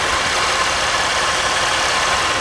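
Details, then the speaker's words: Chevrolet Impala 3.6 V6 idling with serpentine belt removed from main pulley: smooth, even idle, soft hum, no squeal, chirp or rattle; noise cured, traced to belt-driven accessories; normal idle. "No noise at all. Completely cured. It's gone just by removing the serpentine belt. That's all it is."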